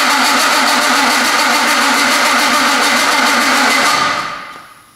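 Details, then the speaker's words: Fully built high-compression BMW M54, first start attempt: steady, quick starter cranking with no firing, then stops; crank no start, no spark, plugs closed up by piston contact. "So, I we have everything working. I think everything's communicating. The engine's not starting."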